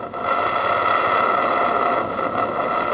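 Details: RC steam gas burner, double-diaphragm regulator, idle needle screw barely tightened from fully open: steady hissing roar with thin even tone; stable flame, very sensitive needle adjustment.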